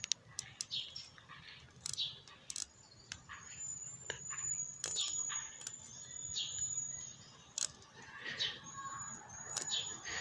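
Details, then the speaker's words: Brand-new Wlisth 1853 automatic watch, first day out of the package: sharp light clicking ticks repeat as the crown is wound instead of a smooth feel; winding clutch slipping within a minute of use, not supposed to be there. "I mean, I took it out of the package, and within a minute it was already, the clutch was slipping. Let me show you what I mean by that. Let me put the camera down. So when you try to wind it this way, you can hear that clicking."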